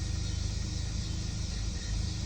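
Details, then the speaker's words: 2018 Kia Sportage 2.0 turbo that stalls and enters limp mode, high-pressure fuel pump already replaced without fix: low idle rumble with rise and fall in rpm, nearly stalling, slight suspected detonation; hunting idle. "Якщо зараз її завести починають пригать обороти"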